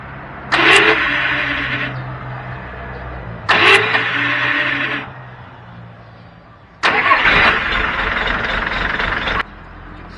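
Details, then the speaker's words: Mitsubishi military Jeep: three cranking attempts, each a harsh rasping grinding whirr of two to three seconds; worn starter Bendix drive gear, fixed by replacing the Bendix. "i don't know if you can hear that but the starter sounds funny"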